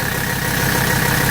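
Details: 1984 Mercedes-Benz 300TD diesel with a straight pipe, at high idle: steady, even, low rhythmic clatter with no misses or knocks, idling normally.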